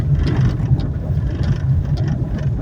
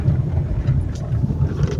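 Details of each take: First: Fiat Argo test-driven slowly over cobblestones, suspension noise felt through the steering: low cobblestone rumble with faint loose knocks from the front end; worn tie rod ends and inner axial rods suspected. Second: Fiat Argo driving on cobblestones after replacing front suspension joints (articuladores): steady low road rumble, no knocks or clunks, customer's suspension noise eliminated.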